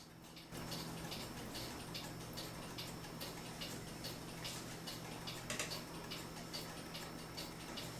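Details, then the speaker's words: Vintage United electric swinging-bell clock after waxing the bell's wood block and oiling the movement: light, even ticking about twice a second over a low hum, with no rattle or knock; the earlier irritating noise is gone. "so there you go we were able to quiet down the clock and now it's a really nice clock and interesting because the bell does swing"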